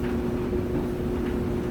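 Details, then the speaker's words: Samsung DV203 dryer, about 7-8 years old, test run with lid off during no-heat repair: steady drum rumble and low motor hum, no knocks or scraping; turning normally, exhaust pipe warming. "all right at least it works let's give it a shot there's your dryer turning"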